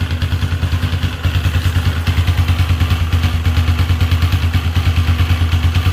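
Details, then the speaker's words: Motorcycle at idle with a strange dragging noise: rough, clattering drag rising and falling with each engine beat, traced to the camshaft; such noise can also come from the starter Bendix bearing or rollers. "quería compartirles ese extraño ruido que ustedes escucharon a la introducción del vídeo es procedente del árbol de levas"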